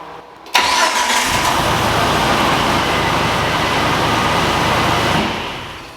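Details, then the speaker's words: Jeep TJ with new starter that only clicked, accessories reconnected one by one: brief crank, catches at once and settles into a steady even idle with no clicking. Clean start; cause judged a bad positive battery connection. "we figured out wasn't any of that it must have just been a bad connection on the positive going to the battery"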